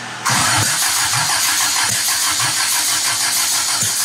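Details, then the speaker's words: 1972 Toyota Celica with swapped JDM 18RG twin-cam carbureted engine on start: it fires on the starter with sharp irregular pops backfiring out through the carburetors. Something was left way open, and it was not expected to run well. "That's out of the carburetors. That's less bangy. I like that."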